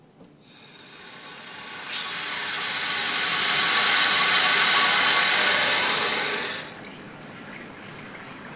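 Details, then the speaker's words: Water heater after draining and flushing sediment: drain valve closed, cold inlet fully opened, temperature relief valve open; loud hiss of rushing water and air builds then drops as the tank refills normally, air escaping. "okay and as you can hear the tank is now refilling so right now air will be escaping through here for a while and fully through the um faucets upstairs"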